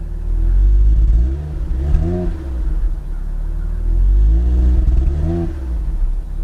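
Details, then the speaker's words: Twin-turbo Supra-engined Toyota Soarer imported from Japan, sitting with old gas and wanting to stall on throttle, heard from outside; two clean blips rise and fall smoothly from a steady idle. Normal revving; needs fresh gas. "sounds good from outside this thing needs some fresh gas let's shut it off"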